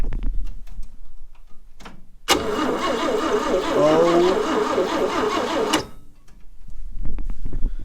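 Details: 1960 Chevrolet Step Van, first start in almost a decade after new ignition points: fires readily on cranking and runs a few seconds with rough but steady rhythm before shutting off; normal start.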